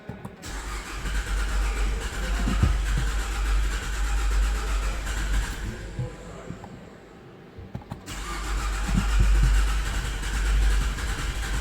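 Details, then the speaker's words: 2011 Nissan Altima, first start after an engine swap (the old engine used a quart of oil a week): brisk cranking, catches briefly but won't run; owner thinks it sounds like no compression. It later ran on a jumper battery, smoking. Cranking, no start. "No start first try kind of sounds like no compression wants to start."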